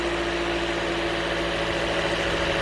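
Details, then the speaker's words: Toyota Corolla 1.8L after new fuel pump assembly fixed a crank-no-start: engine starts and holds a steady, even idle with smooth low hum, no knocks or misses; fuel pressure 50 psi. "so right there as you can hear the engine started the engine is running so right now our fuel pressure is 50 psi"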